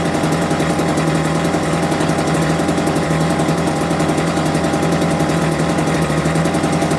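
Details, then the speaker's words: Homelite UT08572 small two-stroke, just restored and not fully warmed up, idles slow and uneven with loose, lazy popping, barely hanging on; idle speed set too low, and it had died on its own. "Actually like the idle's a little bit too low. Okay, that's a two minute mark. But fact that died on its own is not a great sign."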